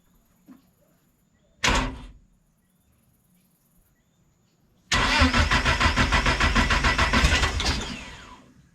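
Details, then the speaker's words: Project car Judas on Speeduino EFI, first start after timing correction and a new starter: short crank, catches and holds a fast, busy high idle that won't settle before dying; owner says a few leaks need fixing. "you started okay so it's island high so we have a few licks daddy needs to fix a couple licks"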